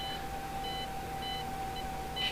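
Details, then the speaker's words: Axial SCX24 V1 transmitter and ESC bench test: thin steady high ESC whine with short chirps at about 2 mm trigger pull, before wheels engage a millimeter or two later. "so there's the wine that's at about 2 mm pull and then we got engagement a millimeter or two later"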